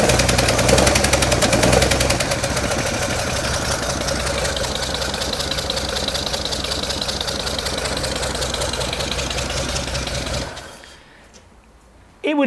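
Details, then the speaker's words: Home-built Datsun 240Z, start after setting distributor to factory standard timing: lumpy, uneven chuffing with stumbling rhythm for ten seconds, then dies; rough running, possibly because the number one spark plug was left out. "if I put in the number one spark plug again that might make a bit of a difference"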